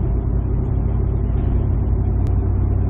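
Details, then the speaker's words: 2007 Ford F-150 5.4L 3-valve V8 after fixing cylinder 2 misfire (P0302, loose spark plug): cruising about 45 mph in fourth gear, torque converter locked, light throttle; steady deep drone, no stumble or surge, smooth. "that really stresses out the secondary ignition and everything looks good to go especially number two which we just fixed so that's fixed look at that nice and smooth"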